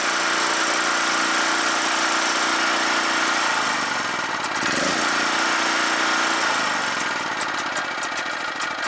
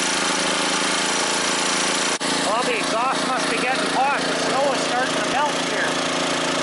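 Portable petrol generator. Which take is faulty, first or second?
first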